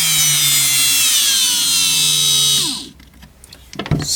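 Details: Parkside cordless drill after repair: high motor whine holds steady, then drops in discrete speed steps from the cheap replacement speed control before stopping; no smoke, runs cleanly and responds to the trigger, fixed.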